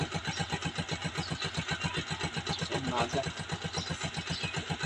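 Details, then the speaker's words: Honda TMX 125 Alpha single just kick-started cold in the early morning without choke, two kicks: steady even putter of about four beats a second; runs cleanly thanks to a correctly tuned carburetor idle and air-fuel mixture. "yung makina natin guys pero yan guys nakikita niyo umandar na siya dalawang sipa lang"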